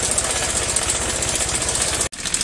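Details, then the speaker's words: Honda Vario 110 carburetor scooter idling: fast, dry metallic ticking rattle from inside the engine that disappears when revved and returns on release; if not the piston, likely the cam chain tensioner or adjuster. "ternyata suara itu berasal dari dalam sini. Jika bukan suara piston, kemungkinan itu adalah tensioner atau penyetel rantai timing."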